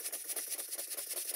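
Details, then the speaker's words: Clarkson vertical steam engine being rebuilt, test run: sharp hissy beats about six to seven a second, like a pneumatic drill; valve events too early, causing hammer blows that loosen the crank web, and the flywheel is slipping. "because the valve events are very premature the valve opens far too soon and it's giving real Hammer BL blows and it's actually loosening the crank"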